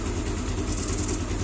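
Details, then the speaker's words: Yamaha Aerox after camshaft replacement and valve adjustment: smooth idle with a faint, steady high hiss coming from where the cam chain tensioner cap is missing; quiet when covered, hisses when open. "Cuman ada suara desis. Tutup tensionernya hilang nih guys. Nah, suara desisnya dari sini nih."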